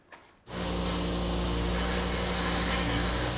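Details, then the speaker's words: BMW M5 just fitted with a new power steering pump and reservoir, started to bleed the system: a loud steady drone with a harsh hissing whine from air in the pump, which gets quieter once the bubbles clear. "ah it sounds awful stupid pump it's just like the last time a nightmare to bleed"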